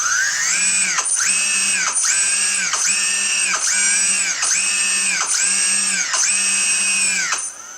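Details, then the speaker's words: MultiWii 3D quadcopter with 1100kV motors and newly flashed, calibrated ESCs, armed with the throttle pushed to midpoint, forward then reverse; seven short whine bursts spinning up and down cleanly. Normal motor run. "armed up on the throttle to midpoint so there you go and then reverse"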